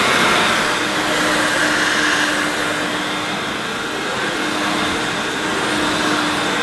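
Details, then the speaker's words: Hoover S2095 Quick Broom II mains-powered bagless stick vacuum, brand new, first run. Smooth, constant airy rush with a steady mid hum, no rattle or grinding. Doesn't sound too bad, though the owner is unsure how it should sound: normal vacuum motor running. "Well, I suppose it doesn't sound too bad. I'm not really sure what it should have sounded like in the first place."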